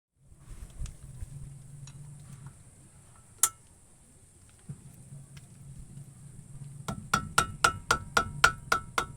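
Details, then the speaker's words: Brake caliper hung with pads removed, pins shaken by hand: sharp metallic clinks, about four a second in a short burst, from a loose caliper guide bolt pin; temporary fix is teflon tape plus grease on the pin. "Tanggalin ang mga brake pads kung ito ay sagabal sa pag-test ng caliper pin. Alog-alogin ang mga pins, dapat itong ayusin kung may tunog."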